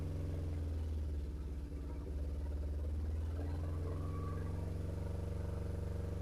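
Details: BMW R1150RT boxer twin, first run after clutch and starter motor strip-down rebuild, tank not yet fully refitted: low steady thrum settling into an even idle, no knocks or clatter; sounded all right.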